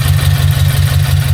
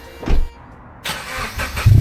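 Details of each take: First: Subaru BRZ, newly fitted unequal-length headers with stage 2 tune, after a leak on first start was fixed by tightening the joint and moving the gasket: deep, even idle, steady low throb, no ticking or puffing; header joint now sealing, normal idle. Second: Subaru BRZ, first start after fitting unequal-length headers and flashing a stage 2 tune: engine catches and settles into a rough, chuffing idle with ragged low puffing over the exhaust; exhaust leak at the header, later fixed by tightening and repositioning the gasket.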